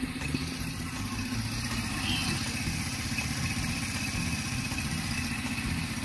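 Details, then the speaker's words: Rusi 125 scooter after overhaul with new steel-bore block, resealed leaking head and a nut added for a stripped bolt: starts on one click and idles quietly with a low, even putter, no knocking or rattling; normal idle. "So, one click na to. Tahimik na siya."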